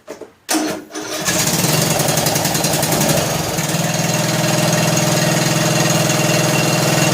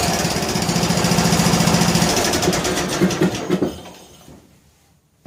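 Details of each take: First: John Deere L100 lawn tractor single-cylinder engine, long sat, just started after hard cranking, warming up: settles to fast idle with light rapid ticking over exhaust beat; valve lash noise that fades as it warms and on revving; valves need adjusting. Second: John Deere L100 lawn tractor on choke, weak recharging battery, after tightening loose intake and exhaust: quick, even single-cylinder putter holding steady, then winding down to a stop; running properly.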